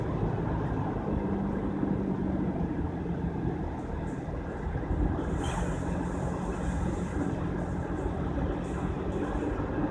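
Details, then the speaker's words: Driving down the drive after installing a new front hub/bearing assembly: steady, even road and tire hum with no growl or roar building with speed. Roar eliminated, wheel bearing normal, though slight brake drag is suspected. "Roar is gone though."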